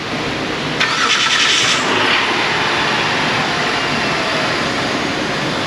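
Short crank, catches within a second and settles straight into a steady, even run with no clicking; starts cleanly.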